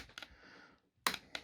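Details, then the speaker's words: Peco model railway point motor on point three, after fixing a bad wiring connection and motor positioning: two crisp sharp clacks about a second apart, each a clean single snap. Throws properly. "but now i've managed to get it throwing okay"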